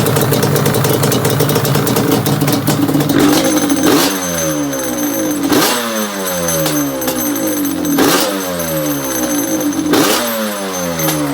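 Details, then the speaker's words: Yamaha Banshee two-stroke after chain replacement, clutch adjustment, loose idler gear repair, and carbs cleaned and synced: crisp revs rising and falling in repeated blips, clean throttle response, settles without stumbling, healthy. "put it all back together so really fired up son let's have a listen this is a nice bike"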